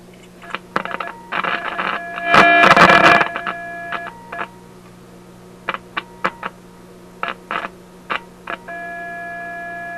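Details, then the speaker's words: Simplex antique vacuum-tube radio fed a test tone from test equipment during retesting; the tone comes through buzzy and harsh, dropping in and out with crackly bursts, likely from overdriving the input. "well that sounds like loud and clear to me uh not so clear i think i'm over driving something so let's cut back the power a little bit here"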